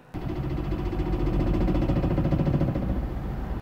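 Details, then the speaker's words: Citroen C1 with a dropped exhaust back box: while driving, a loose, uneven metallic rattle over the engine as the pipe clunks against the rear beam axle. The loop over the axle keeps it from scraping the ground. Exhaust rattle. "it won't drop down and scrape along the floor because the loop that the pipe takes over the rear beam axle uh stops it from doing so and the clunking you can hear is the pipe rattling on the beam axle as you drive along"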